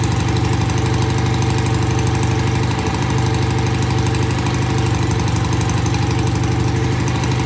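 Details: BSA A65 with new Premier carburettors and freshly cleaned pilot jets. Easy cold start after tickling, then a steady, even low idle thump with both cylinders firing evenly and no knocks or misses. Normal idle.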